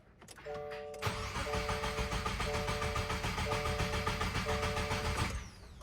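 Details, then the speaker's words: 2022 Subaru WRX Limited after an oil change, clutch and gas pedal held while pressing start so it cranks without spark or fuel to prime oil; even starter cranking at three to four pulses a second over a warning chime, no firing, as intended. "You hold the clutch, you hold the gas, and then you hit start, and it should crank without putting spark and fuel."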